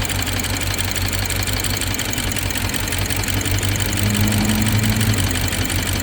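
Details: BMW 750Li N63 V8 at idle after fuel injector and high-pressure fuel pump replacement: fast, uneven tick over slightly lumpy idle; ticking with misfire, owner suspects timing chain.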